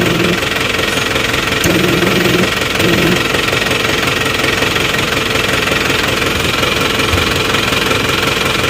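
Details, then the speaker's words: Isuzu Panther diesel with hard brake pedal and warning light from lost booster vacuum, tiny debris found as cause: steady, even idle clatter with no misses. "nah ini sudah kuat ya lihat tadi kalau di ginikan lepas langsung ini sudah kuat"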